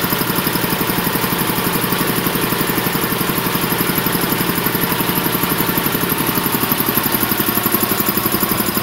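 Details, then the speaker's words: Champion VR5-8 80-gallon vertical air compressor (oil changed a couple of times) running: a steady, even pumping thump at about 100 per minute with no knocks or rattles, healthy. "basically that's the setup it's been running great changed oil a couple times no problems at all um i'm gonna turn it on here and let y'all hear it run"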